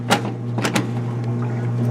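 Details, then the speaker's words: Kenmore stackable washer/dryer, at least 10 years old, that wouldn't cycle or advance: after tapping the timer it now cycles normally, a steady low motor hum under a few panel clatters; later found to be worn timer points needing a replacement timer. "well see if it there it is now it's cycling so until we get a new bit I'm going to put that back up"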